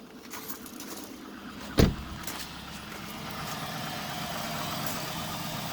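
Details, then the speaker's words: 2005 Dodge Magnum R/T 5.7 Hemi V8 cold-started after close to a week sitting at 15°F, stock exhaust: door thump then steady low V8 idle settling smoothly with even rumble, no knocks or ticks; normal idle. "there it is it's got completely stock exhaust so this is not impressive at all so you can hear it"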